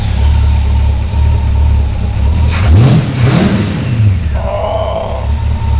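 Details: Canadian GMC 9434 1-ton truck V8 after restoration, running on all eight cylinders once a left-in spark plug problem was fixed: deep burble revving cleanly twice and settling to an even idle; normal running.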